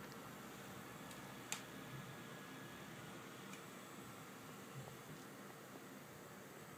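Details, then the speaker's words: Asus DirectCU II Top GTX 670 graphics card running the Heaven benchmark at 1080p, case fans turned down: soft steady airy hiss with a tiny bit of coil whine and no rattles; cooler quiet and healthy. "As you can see, it is completely silent. There is an absolutely tiny bit of coil whine, but nothing compared to my GTX 580."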